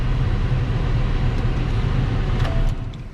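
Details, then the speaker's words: Pontiac Grand Prix after starter replacement and rust cleaned off the rotors: a deep, even idle rumble with no knocks, misses or rattles; everything mechanical is described as pretty well sorted, a normal healthy idle. "so that is almost the conclusion of this car um only thing we've got left to do is sell it so everything mechanically it's pretty well sorted"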